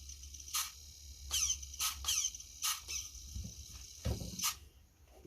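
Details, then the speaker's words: Used HPI Savage 4.6 nitro RC truck bought for parts: throttle servo gives about six short, sharp high-pitched squeak bursts as it moves; owner suspects the throttle servo will fail soon. "Sounds like the throttle servo is going to go soonish."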